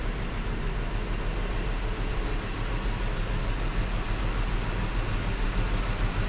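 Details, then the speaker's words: 2015 Ford F-350 Super Duty 6.2 V8 at idle: uneven, lumpy low rumble with a missing beat from a bad misfire that began suddenly while driving, not towing; a dead cylinder, found on teardown to be a broken exhaust valve spring. "I don't know if you could tell how rough it was running, but it's got a pretty bad misfire."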